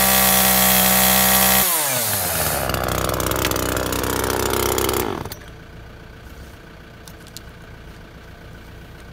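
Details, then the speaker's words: Makita top handle climbing chainsaw after ignition coil replacement, cutting wood: two-stroke screams at high steady revs, pulls down briefly biting wood, drops off cleanly, running sweet; little chain oil, air filter missing. "to be running sweet can't get much chain oil though"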